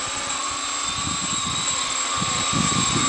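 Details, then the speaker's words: 2008 carbon-fibre quad-rotor UAV prototype, brushless motors, LiPo, piezo gyros: steady high motor whine with uneven low buzz pulsing underneath, badly out of balance; owner suspects a carbon rod knocked loose or dirt stuck in one. "It's making a humming sound now. Yeah, it sounds like something to eat. I might have knocked a rod loose."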